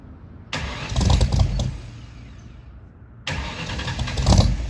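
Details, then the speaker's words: 1964 Mercury Comet V8 after FloTek 180cc aluminum heads, Trick Flow Stage 1 cam, Victor Jr. intake and 1-5/8" headers, first start: uneven cranking and firing in two bursts with no steady idle; owner suspects fouled plugs and a rich idle mixture. "unfortunately it wasn't all perfect before we could get to what you just saw we had to go through this with this car"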